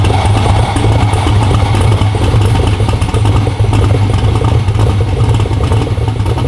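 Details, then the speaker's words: Twin-turbo Black Sheep LS-based V8 street car, first fire-up with factory starter and electric fuel pump: loud, even, lumpy cammy idle with no hiss, tick or knock; sounds healthy, no leaks heard. "sounds pretty healthy like i'm like hey watch for leaks and john just like yeah i didn't hear any leaks bro"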